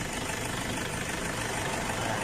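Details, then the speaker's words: Toyota Hilux Tiger D4D diesel, owner reports loud noise at morning start, poor pulling and oil consumption: loud harsh busy rattle at idle over a steady low beat; cause not yet pinned down. "หากท่านเจ้าของรถบอกว่าเครื่องยนต์มีเสียงดังในขนาดตอนสตาร์ทตอนเช้านะครับและก็วิ่งไม่ค่อยไปนะครับ"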